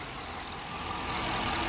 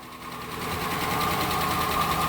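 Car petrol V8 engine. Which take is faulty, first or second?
second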